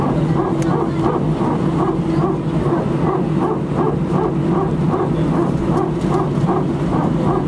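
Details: Air France Airbus A319, flight AF2487 Sofia to Paris, recorded from cabin seat 18F during taxi: steady engine hum with a sharp dog-like bark repeating two to three times a second; strange repetitive barking, source unknown.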